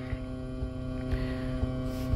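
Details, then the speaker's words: Car with engine running, phone or recorder plugged into the stereo aux: steady static hum and whine rising with revs, a ground loop; stops when a car charger is plugged in. "You hear that static noise? Now, like I said, the engine is on. This is significant here."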